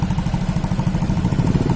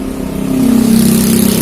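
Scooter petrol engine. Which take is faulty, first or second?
second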